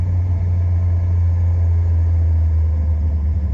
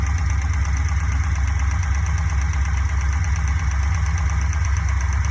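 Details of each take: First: Fuel-injected Corvette after attempting a noisy-lifter fix, started in a home garage: a deep, steady low hum at idle with an even beat and no ticking on top. The valvetrain sounds quiet and healthy, normal idle. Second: Fuel-injected Corvette idling with a modified valve cover off: a quick light tick about twice a second. It is suspected to come from cylinder 3, likely the exhaust valve; one rocker sits longest, so excess valve lash is to be adjusted.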